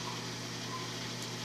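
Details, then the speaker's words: Microwave oven being tested: fan and ventilator noise, then a steady low mains hum from the magnetron and its transformer as it heats normally. "quando não está aquecendo barulho é um quando está aquecendo maio reduz comércio barulho que o barulho da ventoinha do ventilador e daí passa a vir o barulho do do jogador jogando magnetron em um evento e depois o transformador que aciona a magnetron"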